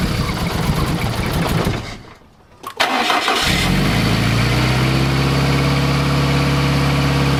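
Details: Fiat Coupe 16V turbo after a new coolant temperature sensor and GFB blow-off spring: the engine stumbles and cuts out, then restarts into a slightly wavering idle; it ran a little better but failed the MOT, cause unknown.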